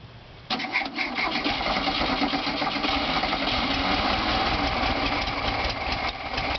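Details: VW Bug after reversed fuel lines were corrected, started with starting fluid: the engine catches in half a second into a busy, uneven chatter that sags near the end. It runs only briefly and will not hold idle.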